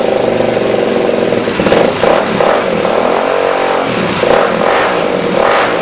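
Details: Suzuki DRZ 400 rebuilt with new chain and sprockets, throttle position sensor not yet installed. Clean throttle blips drop back to a steady idle with no knocks or rattles; healthy engine.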